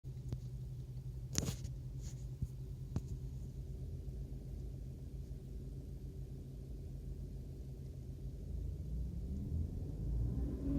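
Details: BMW E90 318i petrol at idle: low, pulsing drone like an unbalanced shaft, swelling to a louder throb with vibration at 2000–2500 rpm; cabin bounces slightly, gear lever vibrates; gearbox mounts recently replaced.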